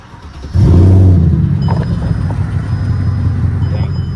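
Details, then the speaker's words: Mercedes CLK500 (W209) V8, 91,000 miles, stuck in limp mode, still warm: quick crank, then it catches and settles into a deep, steady, even idle; healthy warm start. "I don't think this is a cold start. Yeah, it's still pretty warm."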